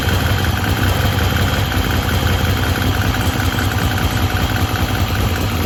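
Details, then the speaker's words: Ford Cortina with turbo Pinto engine, first start after custom stainless exhaust build: thin steady high whistle over lumpy idle, traced to air leaking past the inlet manifold gasket (intake vacuum leak). "the whistling you could hear um which well you clearly hear it um it was actually coming from the inlet manifold the gasket there was"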